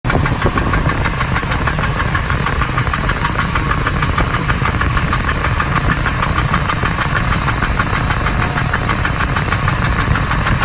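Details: 2001 Ford Expedition petrol engine at idle with a fast, steady knock riding over its low rumble.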